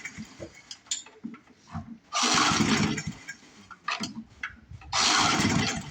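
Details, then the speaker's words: Older 22-inch Murray push mower, 3.5 hp Briggs, just after a starter clutch rebuild. Two short rattling pull-start bursts and the engine never catches; the primer is very weak. A bent crankshaft was found afterward. "Still not promising. What is going on here with this thing? You just don't want to live, do you, Murray? Primer's real weak."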